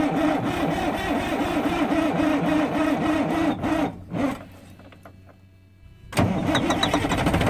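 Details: Freightliner FLD120 with 397k miles, first start attempt after sitting 17 years, using ether: the starter churns at about three beats a second, pauses, then churns again without catching, from air in the injector lines.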